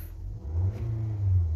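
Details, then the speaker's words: 2023 Nissan X-Trail after fuel pump replacement (crank-no-start, fuse kept blowing): engine catches and holds a steady low rumble with gentle rev rises, running evenly without misfire. "So may start na siya. So okay na. So bale yun lang naging problema natin yung ating fuel pump."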